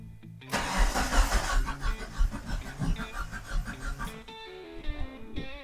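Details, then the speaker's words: Mitsubishi Eclipse no-start, cranked while checking fuel pump relay output: starter churns the engine at an even steady rhythm but it never catches; relay output had voltage, no spark found; cause not yet identified. "We had no spark. We got to figure out where the spark comes from."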